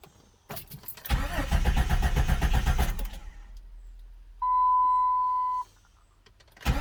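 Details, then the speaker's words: 1999-2004 Jeep Grand Cherokee 4.0 after head gasket replacement: even starter cranking, about four compression beats a second, no firing. Fuel and injector fuses/relay pulled to prime oil before the first start. "All right, now that I cranked it over a little bit, I put the fuses back in."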